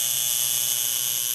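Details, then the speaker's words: Solenoid valve: steady high-pitched electrical buzz with no rhythm, humming typical of AC-powered solenoid valves; humming or vibration noise, most common solenoid valve noise. "Tout d'abord, les bruits de bourdonnement ou de vibration. Ces bruits sont les plus courants dans les systèmes utilisant des valves électromagnétiques et peuvent avoir diverses causes."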